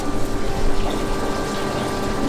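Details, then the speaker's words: Chevrolet K20 Duramax diesel build, ignition on after reconnecting a fallen-off ignition switch feed wire; steady low pump hum with faint whir, lift pump running normally again. "Hey, I hear it. Okay, good news is you can hear the lift pump. The lift pump is on."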